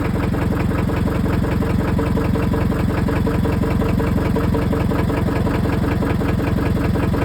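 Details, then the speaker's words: Scion tC that hadn't run in a month after a starter replacement: heavy, steady knocking at about three beats a second through a rough idle; rod knock, engine done for. "[Music] Something's in there knocking. [Music] That [ __ ] is done for, bro."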